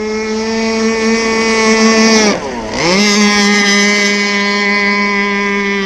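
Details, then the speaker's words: RC gas boat two-stroke engine on a skiff with clutch, during needle tuning; high clean scream dips briefly then climbs straight back and holds a steady high pitch, picking up speed right away; normal, well-tuned acceleration. "There we go. See how she picked up speed? Right off the bat."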